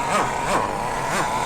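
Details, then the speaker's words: Kyosho MP9 nitro buggy during first-run needle tuning, with the mixture leaned too far: the high buzzing engine rises in short bursts about three times a second but keeps falling back and won't accelerate. It is running too lean and starving. "Can you hear that? When you try to accelerate. Won't do it. That's because you've taken away too much food. It's starving."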